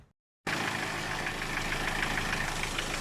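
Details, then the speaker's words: Car at idle with AC on after replacing the weak, clacking compressor, adding about 20 cc compressor oil, vacuuming and recharging refrigerant to 200 pressure: compressor very quiet, no whine or grinding; AC cold. "ตอนนี้เติมน้ำยาแอร์เข้าไปก็คอมแอร์เงียบนะครับเสียงเงียบมากเลยแรงดันก็โอเคครับ"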